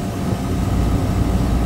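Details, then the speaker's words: Beer walk-in refrigeration compressor pumping down, should cut out around 30 PSI: steady deep drone with no cutout, starting to bypass; pressure control is bad, so the unit keeps running trying to shut down and can't. "pressure control is not working that's what's wrong pressure control is bad and it's been running and trying to shut down and it can't"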